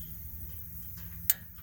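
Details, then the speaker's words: LP propane tractor, key on at the fuel lock strainer: single sharp click over quiet low hum as the fuel lock solenoid opens, normal. "you hear that click that is the fuel solenoid opening"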